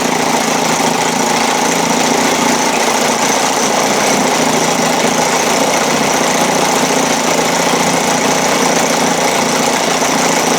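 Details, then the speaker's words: 1956 Evinrude 7.5 outboard after carburetor needle adjustment, in gear at full throttle in water. Busy, even two-stroke buzz with no stumbles or misses; runs cleanly and sounds healthy. "yeah take it up to full throttle man in gear this is the freaking water be wow didn't bat an eyelash"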